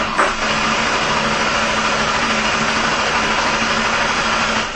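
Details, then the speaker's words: 2004 Ford Taurus with misfire codes P2195-P2197 and severe idle/performance problems, cranking: steady, even cranking whir with no lurching; compression sounds balanced, clearly not a bad head gasket. "I don't know what that screen showed but it definitely didn't show a compression problem I can guarantee it you could hear the compression listen while I crank and there is clearly not a bad head gasket here"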